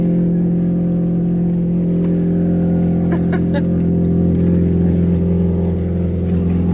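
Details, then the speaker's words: Saturn Ion Redline at cold idle before exhaust repair: loud, deep, rough, slightly uneven drone from an exhaust leak somewhere up front; idle slightly wonky until warmed up. Exhaust leak. "Let's turn it on so you can hear how loud it is. Because this thing is way too loud, and I got to do something about it."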